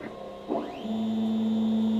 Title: Makerbot grinding noise